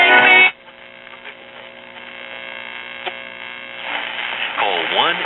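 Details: RCA tube radio/record player with VM record changer connected, loop antenna dismounted and remounted on cabinet back: steady buzzing hum under faint crackle, then wavering whistles near the end; humming and picking up interference, cause suspected, not confirmed.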